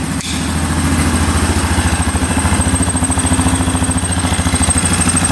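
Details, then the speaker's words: 2009 Yamaha Grizzly 550 EFI with power steering, which previously would not start and hung at high idle: after the fixes it idles steadily with no misses and is not idling up, though the engine light is on with the air box off; running healthy. "She's running good, not idling up yet. We'll see if the throttle works."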